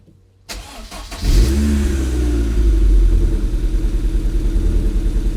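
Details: MG engine, started after compression test reassembly: catches and settles into a lumpy, uneven idle with a stumbling pulse about three times a second, running rough.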